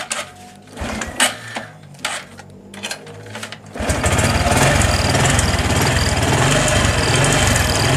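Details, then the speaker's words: Honda Supra X 125 PGM-FI, battery at 11.5 V, many parts already replaced: fuel pump heard, then a heavy lumpy idle that won't rise and stalls; low battery voltage first suspected, actual fault is ignition switch wiring. "memang setelah saya hidupkan nampaknya ini untuk stasionernya lumayan berat ya teman-teman"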